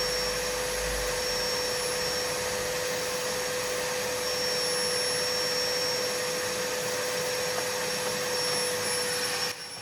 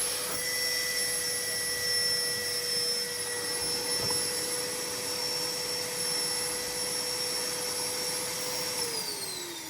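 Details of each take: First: Numatic Henry HVR200 vacuum after repair with homemade motor brushes, filter fitted, running outside to wear in; a winding may be cooked. Steady even whine at constant pitch, though suction feels weak, like the low setting. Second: Numatic Henry HVR200 vacuum after fitting homemade motor brushes, machine long damp: steady high motor whine then wind-down; runs better but not right, owner suspects a cooked winding.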